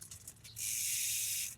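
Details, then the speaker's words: MTB rear derailleur shifting up one gear at a time: chain rasps dryly against the next cog without climbing; shift cable tension too low, fixed by rolling the barrel adjuster away to add tension. "Notice it's not going up and we hear the scraping. So we're gonna wanna add cable tension by rolling that roller away from us."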